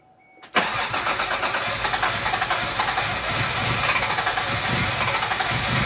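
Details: Mk3 Toyota Supra started after installing a vacuum hose kit to fix an idle problem that began after a knock sensor replacement and traced to a vacuum leak: it fires straight into a lumpy, uneven idle that never settles; cause still unclear.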